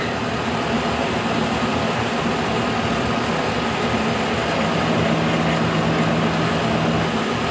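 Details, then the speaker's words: K&T mill first cuts on mild steel with a resharpened endmill, light cut, cold morning in the 20s, head not trammed: steady even hum with light cutting hiss, no chatter or squeal; normal milling cut. "here we go first cuts look at that no problem man I can barely even hear it"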